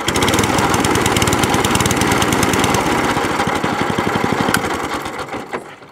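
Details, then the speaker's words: Crowcast 14S cylinder mower after new cylinder gear, pulley tensioner and drive cable refit: small single-cylinder engine idles with a steady, even rapid beat, then slows and dies cleanly on shutdown; running normally. "The cable's come out of the housing, this end, that's all it is. So that all works. Idles."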